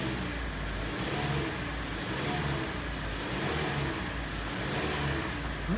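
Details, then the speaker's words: 2014 Kia Sportage (facelift), G4NA engine, 97,000 km, first start after a full rebuild with the block bored 0.50 oversize to cure hydraulic lifter knock, oil pressure primed. Clean repeated blips settling evenly with no knock or tick; runs normally, no error codes. "нормально Так ну что заработала все хорошо Никаких ошибок ничего нет"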